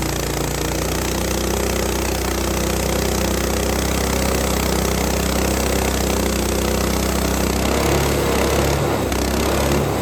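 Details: Frontier OS18 sawmill's Lifan 7hp GX200-clone engine after head gasket repair for zero compression (loose head bolt) holds a strong, steady note cutting dry, hard ash with a sub-par blade, no bogging or misfire; normal running under load.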